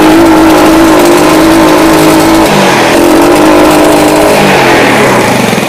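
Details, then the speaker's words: Yamaha Jupiter Z motorcycle stutters from mid RPM to high revs, exhaust popping on full throttle, normal at idle; ragged, uneven note that stumbles instead of climbing; dirty air filter suspected, unconfirmed. "Oke, di RPM ini di tengah ya. Ini mulai ada berbetnya. Bisa dilihat ini knalpot nembak-nembak. Di gaspol nembak-nembak."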